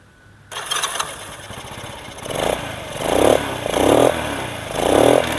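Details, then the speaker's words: Restored Honda Super Cub C800/C700 on stock Super Cup exhaust, repaired electric starter: starter whirs, engine catches and settles into steady, even putter with light throttle blips; normal start and idle. "Ini suaranya, untuk suaranya sebenarnya masih standar banget suaranya Super Cup karena knalpotnya kan Super Cup."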